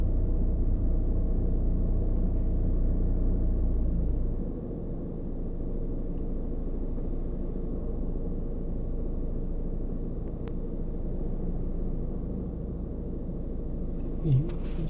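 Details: VW slowing down and coasting to a stop in neutral: deep, uneven rumble with loose rattling vibration from the center console area; owner likens it to a transmission bearing. Cause unconfirmed.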